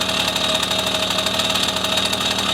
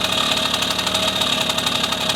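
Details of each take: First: 1974 Honda MR50 small two-stroke after carb adjustment: fast, even, buzzy idle with no misses or surging, deliberately set slightly high so fuel isn't cut off on deceleration during the test ride; running cleanly, normal idle. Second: 1974 Honda MR50 two-stroke, new engine warm after heat cycle, air screw turned in from 1.5 turns out: buzzy idle sags from ting-ting to lugging brrr as RPM drops; air screw too far in, backed half out.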